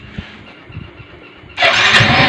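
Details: Yamaha Mio M3 125 scooter after engine repair for knocking noise: quiet, then catches and runs at steady, even pitch with no knock or rattle; engine healthy, though rear wheel/final-drive bearing found loose.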